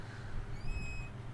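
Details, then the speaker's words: Ford F550 brake booster vacuum leak: thin high squeal and slight hiss over idling engine when the brake pedal is pushed hard, air leaking under the pedal plunger; customer said it sounded like a child screaming under the dash. "there's the air leaking underneath the pedal plunger and you see it in a second guys quick explanation of what's going on here this has what's known as vacuum boost breake assist and when you push in the pedal it pushes in that plunger but if we have a leak hear that slight hissing sound"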